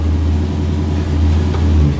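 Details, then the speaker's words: 1962 Cadillac V8, rebuilt about 13-14 years ago, car has a Jetaway transmission that won't shift: deep smooth rumble under light revving, no ticks or knocks; healthy engine. "and it still sounds like the day me and my dad started it up for the first time sounds the exact"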